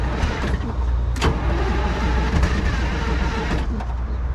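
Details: 1970s Chevy C70 with a Detroit Diesel 6V53 two-stroke that sat 30 years, on one Optima battery: low, heavy churning while cranking with only brief firing that never takes hold, dumping diesel; no-start from the emergency air shutoff left tripped.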